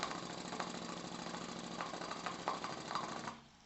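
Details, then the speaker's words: Miniature 5 cc Stuart D10 replica twin steam engine, crank at 90°, valve fully open with pressure falling to about 1 bar; soft quick chuffing with irregular ticks fading as it stalls, little torque: valve timing needs adjusting so it should run down to 0.5 bar. "Donc elle mérite effectivement quand même un petit calage parce que elle devrait descendre à 500 grammes."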